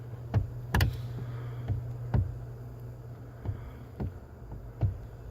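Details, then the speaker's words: 2000 Ford Focus Mk1 wagon, about 88,000 miles, wheel rocked by hand: irregular dull clunks about once a second; worn steering column turns a couple of degrees with free play before catching, column being replaced. "turning to degrees before it catches and then it starts to grab so this is why we're replacing this"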